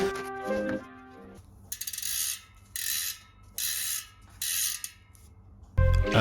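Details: Airbike high-engagement freehub on a rebuilt Charge Iron steel dirt jump bike: quick bursts of fine, fast ratchet clicks each time the wheel spins. Freehub working as it should.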